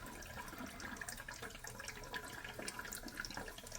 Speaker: I mean, it's just, I mean, you can hear it, right? See, that just doesn't want to, it's just barely trickling out of there.